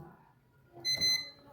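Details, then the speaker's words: 15-year-old fridge, clamp meter set to continuity, probes on the lead's L point and the red wire: short steady high-pitched beep about half a second long, and the meter shows some resistance, so the lead wire is intact. "चाहिए जैसा कि आप सुन पा रहे हैं beep की आवाज आ रही है इसका मतलब है कि ये वायर सही है"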